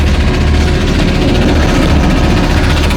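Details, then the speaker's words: 1999 BMW 5 Series engine running with rough buzzing vibration and irregular low throb under idle; owner doesn't know the source. "I have that noise please somebody tell me what it is"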